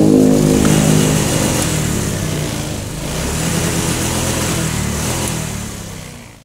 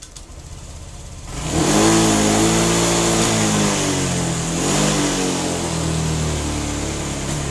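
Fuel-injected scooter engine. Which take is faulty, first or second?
second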